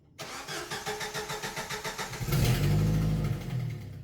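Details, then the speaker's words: Jeep TJ 2.5L at start-up and idle: a sharp rhythmic puff-puff ticking at firing rate, about three per second, the telltale sound of a blown exhaust manifold gasket. "So as you can hear in this intro, the telltale puff puff sound of a exhaust manifold gasket that's blown."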